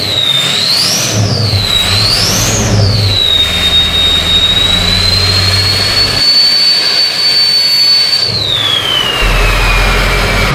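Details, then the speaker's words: 6.0L Powerstroke diesel after repair, cleaner in the oil: two loud revs, then held high, with the turbo whistle rising and falling with throttle. Runs clean with no miss; earlier it loped and missed, and white smoke is unburnt fuel. "you guys heard earlier it was like loping and missing now it's not so sounds freaking good"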